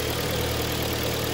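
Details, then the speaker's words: Hyundai ix35 with G4KD engine at 124,000 km, first start after repairing cylinder scuffing caused by frost, new overrunning clutch fitted: engine idles smoothly and evenly, low hum, no knocking, ticking or other extraneous noise; normal idle. "так мотор работает ровно здесь посторонних шумов"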